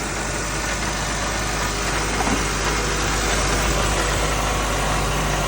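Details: 2012 Honda Civic that would not start with no dashboard power, running after a jumper wire test on a fuse circuit: steady, even idle with no misses, knocks or ticks; a blown fuse is to be replaced.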